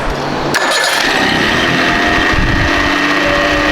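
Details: Parsun outboard after replacing a faulty spark plug, following fuel pressure and valve fixes: the engine catches cleanly and settles into a smooth, even run with no stumbling; misfire cured.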